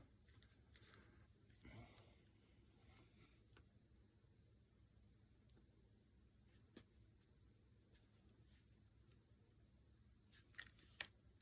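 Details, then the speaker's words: Mag-fed less-lethal marker firing custom HP68 shaped ammo: quiet room, then sharp dry trigger clicks with no shot, a misfeed jam. "yep and that one jammed all right well there it was folks and you heard in both of those cases when I pulled the trigger you heard that click of death"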